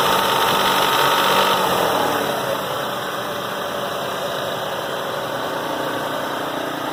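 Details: 1997 Toyota Avalon at idle: a fast, light, steady rattle or clatter riding on the engine note, source not identified.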